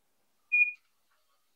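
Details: Samsung 12,000 BTU air conditioner that gets noisy about 5–10 minutes after switching on, turned on after reassembly with the temperature sensor refitted: a single short high-pitched beep acknowledging power-on, as expected.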